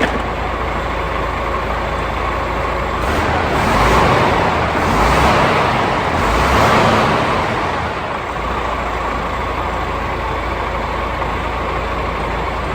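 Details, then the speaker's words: DAF CF85 Euro 6 truck after extensive repairs and new batteries, started before a road test to check for leaks: a deep, even diesel idle with no puffing or blowing. It sounds good. "really happy with that. It sounds so good."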